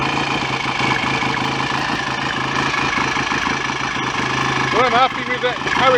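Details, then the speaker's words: BSA A65 parallel twin after engine rebuild, ignition advanced via stator plate: steady idle, even exhaust beat, no bottom-end knocks or rattles; oil circulating, no smoke, much quieter mechanically than before the rebuild, healthy. "sounds all quite promising anyway um let's say mechanically it's a hell of a lot quieter than it was when it came here that's for sure so I'm happy with that"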